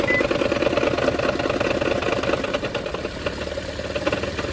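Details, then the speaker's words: Toyota Prius loud while driving: uneven lumpy idle stumbling about twice a second; pulling cylinder 2's coil connector quieted the noise, confirming that ignition coil is faulty and misfiring. "मैंने दो number spark wire का grip उतारा है। आवा पहले से नरम हो गई है। ये बहुत ज्यादा हो गई। ये मैंने उतारा। आवाज कम हो गई। अब ये वाली जो स्पार्क इग्निशन कॉइल है ये तो कंफर्म हमारी खराब है।"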